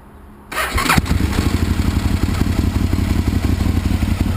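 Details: 2001 Aprilia RSV Mille R race bike, Rotax V-twin, 3200 km, new battery and Power Commander, loud heat-wrapped exhaust, faulty start/kill button; quick catch on the starter, then a lumpy, steady idle that sounds healthy and runs really good.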